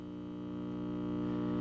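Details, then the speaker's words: 1951 GE radio receiver first powered up: steady low hum swelling as the set warms, no program audible, case vibrating; excessive hum, though audio output tube and rectifier work. "there's a little bit more than a little bit of hum there okay there's a ton of hum there the whole case is vibrating"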